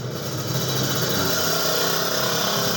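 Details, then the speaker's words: Yamaha Xeon scooter after replacing burnt stator coil with a Jupiter MX stator, original regulator, new battery: steady, even idle with smooth fast hum, no knocks or misses; runs cleanly after repair. "Jadi sekarang udah hidup, kita tes. Nah, udah hidup."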